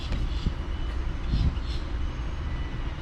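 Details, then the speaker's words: Jeep Patriot, front-wheel-drive model: a steady low droning roar under the road noise with no knocking, from the worn rear wheel hub bearing; rear hub assembly to be replaced. "and if you here like this look we can hear that roaring sound that come from the hub bearing so we're gonna change that okay"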